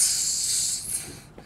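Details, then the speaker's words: Twin 7.4 (454ci) Crusader gas engines in a 1997 Tiara 3100 boat: releasing the transmission dipstick gives a sharp airy hiss fading within a second, normal vacuum showing no leaks. "important thing well i tighten this thing up is when you first release the dipstick you should hear like a sucking sound"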